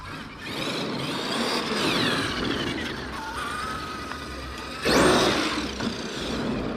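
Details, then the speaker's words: Traxxas X-MAXX 8S RC truck on the ground after replacing the spur assembly and rear bulkhead, pinion cover off: electric whine rises and falls with throttle moving forward and back, light gear hum, no grinding; slightly louder, possibly from bigger gears; mesh sounds good. "he mesh sounds all good on the ground when I'm moving it forward and backwards. It does sound a bit louder, but it might be because we've got the bigger gears."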